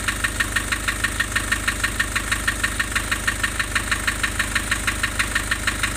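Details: Nissan Urvan Estate with ZD30 (E25) diesel at idle: sharp regular ticking about three a second over a lumpy beat; rough idle with white smoke, compression loss stated.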